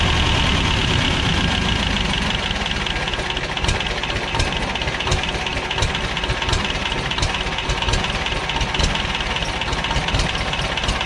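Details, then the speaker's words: 1985 Belarus 250AS diesel tractor, sat unused 8–10 years: engine only idles on its own, won't gain RPM; slow uneven clatter. Injection pump never primed; tiny hole found in the first-stage fuel part, fuel starvation. Runs on ether or gasoline. "It won't gain any RPM. Well, it just idles. It all it'll do is idle on its own."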